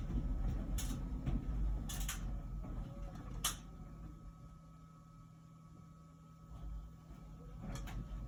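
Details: About a year old LG Wash Tower WKHC202HBA heat pump ventless dryer running normally: low steady rumble with soft irregular thumps as the load tumbles, before the new buzzing the owner noticed starts; normal tumbling.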